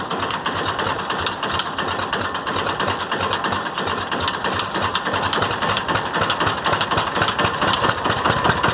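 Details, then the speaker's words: 6.0 Powerstroke diesel cold start after replacing a failed alternator with a new one: even, busy diesel clatter with a steady beat and no knocks or squeals; normal running. "charge everything so I deleted the old alternator that didn't work so I deleted the old alternator delete and put a new alternator on it now it runs great homegirl"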